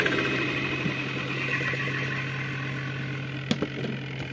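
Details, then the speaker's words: Zvezda washing machine with replacement spin motor, lid closed after brake test: steady even motor hum with a brief lid clack near the end; spin side turns smoothly, normal spin. "To'xtadi. Kolodka ishlab ketdi. Krishkani bekitamiz. Aylanadi."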